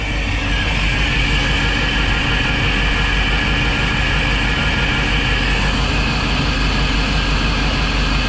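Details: Volvo Penta 5.7 marine engine: loud, uneven, lumpy idle with an irregular beat around three per second and bad vibration; one cylinder turns over easily with no compression, a misfire.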